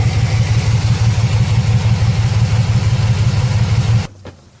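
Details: 2006 Chevrolet Silverado 4.3 V6 with P0305 and P0200 codes and a blinking check engine light. Uneven, lumpy idle loping about three beats a second before shutoff, a dead-cylinder misfire. Failed injector, harness open or ECM signal suspected, unconfirmed.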